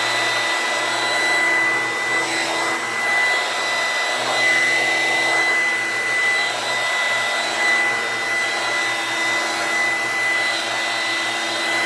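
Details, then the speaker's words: Older Dirt Devil hand vacuum, the loudest of several compared: loud, steady high-pitched motor scream holding an even pitch throughout; running normally, just noisy. "Alright, this is probably the loudest of them all. I'm going to go and turn this thing on. You can hear this thing scream at the top of its lungs."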